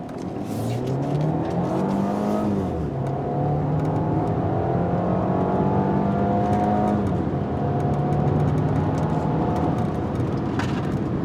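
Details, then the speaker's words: 2009 Audi A4 2.0T turbo four, after fresh spark plugs, hard throttle: clean rising note climbing through the gears with brief drops at each shift, no stumble or misfire; pulls healthy, feels quicker up top. "Wow, the car actually feels a little better. It might just be me thinking, but yeah, I want to say the car feels a little quicker up top."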